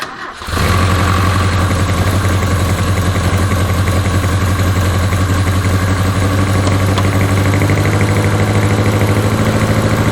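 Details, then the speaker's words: 1981 Toyota Hilux RN46 4x4 with 18R-C engine, freshly rescued, running off a hand-held fuel can: catches and settles into a fast, lumpy idle, backfiring, apparently on all cylinders; owner guesses ignition timing still slightly out. "got it running off the fuel can and's happy to risk her life to hold the fuel while it's backfiring I'm guessing she's still a little bit out of time"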